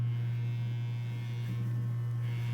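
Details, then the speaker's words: Vintage 12-inch guitar speaker on test tone: dry buzz on steady tone; a likely shipping impact bent the frame oval, pulling the voice coil off-center so it rubs; pressing frame stops it. Speaker voice coil rub. "there's a little buzz there foreign you hear that the coil is out of alignment with the frame"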